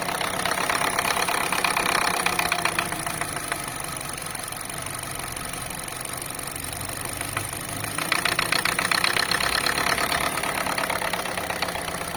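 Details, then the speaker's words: Car idling with regular light knocking, about four a second. It traces to a loose fuel filler-neck hose flapping against the body. "а вот что стучит у нас на этих слушайте болтается как это шланг Да горловина с"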